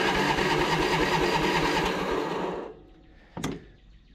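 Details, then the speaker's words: Craftsman T1000 MTD riding mower, single-cylinder: loud rough beat about three firings a second with pops, sputters and backfires on throttle-down; owner suspects valve adjustment or dirty carb, possibly muffler. "Show you guys it's pretty loud I don't know if it needs a valve adjustment there was a little pops and uh sputters every now and again or if it just needs the carb cleaned but we'll get everything addressed and get this thing going"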